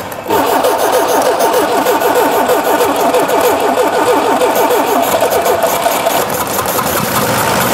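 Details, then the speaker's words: Engine left sitting with petrol about a year old: long run of slow, even cranking before it finally fires into a rough, uneven idle; very hard starting, cause not confirmed. "Заводится очень плохо, очень прям безобразно."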